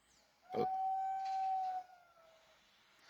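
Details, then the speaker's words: Fiat Argo petrol engine when revved or switched off: loud steady horn-like train-whistle sound; faulty diaphragm, to be replaced. "no Fiat argo aí tá fez esse barulhinho aí do Michael ja quando você desliga ou quando você roda com o carro parecendo uma buzina de um trenzinho é o famoso diafragma"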